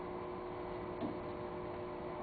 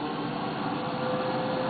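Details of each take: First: 20-year-old electric player piano vacuum pump turned down until the music stops playing: a steady low rumbly hum with a faint mechanical flutter. It is an old, worn pump. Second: Electric player piano vacuum pump: smooth steady hum with faint constant tone, no knocks or rattles; with little leakage only motor and exhaust are heard, a quiet healthy pump.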